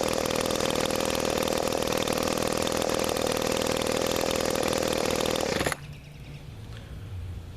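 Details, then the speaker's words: Trash-picked two-stroke weed trimmer on 32:1 mix (spec 40:1): high steady buzzing at constant speed, no notable smoke, cuts off cleanly; normal running. "okay so that runs pretty well I've got this is supposed to take 40 to1 and I've got 32 to1 in it so uh doesn't seem to be smoking or anything too major"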